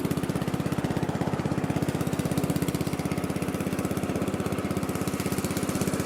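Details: Lesko walk-behind leaf blower, curb find with bad engine swapped to a Predator engine, first start: single-cylinder engine firing in quick even beat, steady without misses or knocks; running normally.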